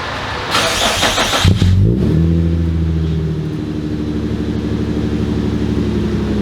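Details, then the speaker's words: Infiniti G35 with a G37 front conversion: engine fires and revs, then holds a loud raspy, flappy drone at idle from a broken exhaust (leak), not yet fixed. "so the exhaust is broken i don't know if you guys can hear it um i'm definitely sure you can hear it"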